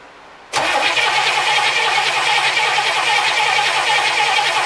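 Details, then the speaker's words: 1964 Cadillac with points ignition, sat 17 years, new oil and filter, charged battery, fuel from a jug to the carburetor, starting fluid: steady even cranking about three beats a second, never catches; test light shows no spark. "so it looks like we are not getting spark we need to figure out why i threw my test light on it no spark"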